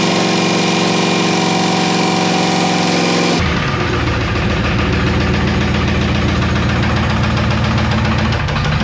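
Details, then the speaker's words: GM LT1 V8 (Camaro/Firebird) in a torture test run with no oil and no cooling, past 5 minutes: rough uneven knocking about three to four a second as the engine drags down and heats; knock from oil starvation. "You guys knock the old L1. It's knocking you right now."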